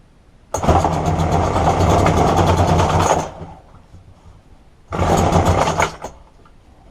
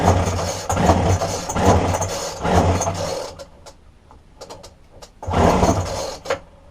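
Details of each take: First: Roadside-found McCulloch two-stroke strimmer after replacing fuel lines: buzzes up sharply in three short bursts with quiet gaps, picks up and revs cleanly; normal running. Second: Roadside-dumped McCulloch two-stroke strimmer with a broken fuel line from tank to carburetor, fuel poured into the spark plug hole: it catches and buzzes a few seconds, dies, then fires briefly again. It runs only when primed.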